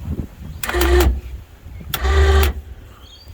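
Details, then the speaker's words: Winch not working from remote; power confirmed and solenoid bridged directly, motor runs in two short half-second whirs over wind; solenoid and motor fine, receiver module suspected faulty. "Solenoid works. So that means it's the receiver is probably the bit that's not working."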